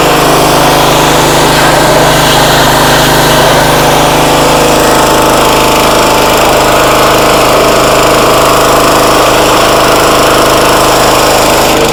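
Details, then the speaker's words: Pressure washer (roughly 2,600-2,700 PSI) that only runs on choke, started at full throttle on choke: small single-cylinder engine holding a steady, even high-speed drone under pump load with no stumbling or surging; motor and pump seem fine. "foreign pressure washer Works motor seems fine pump seems fine"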